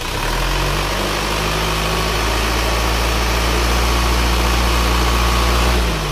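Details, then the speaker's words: Isuzu Panther diesel after repair of heavy dipstick blow-by (cylinder 4 liner top collapsed and was flipped, new piston rings replacing broken ones), warm at 71°: soft, even idle with no knocking; normal diesel idle. "suaranya empuk ya tidak shalat tidak ada suara kerang-kerang"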